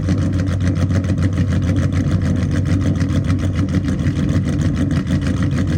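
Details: Dodge Charger SRT8 Hemi with a big cam, after axle trouble: a deep steady idle with a rhythmic chop of three to four beats a second and no blow-by. Normal idle with a lopey cam; a good-running engine.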